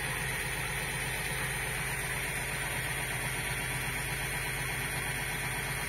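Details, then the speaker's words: New peristaltic pump for thick mash, run at the maximum speed it holds stably without the motor encoder locking, during a flow test: very strong pressure, about 310 L/h. Steady, even whir with a soft irregular pulse, no knocks or grinding; running healthy. "Лан что не выскочил напор очень сильный Если я сейчас Лан ха жму он может сорвать шланг"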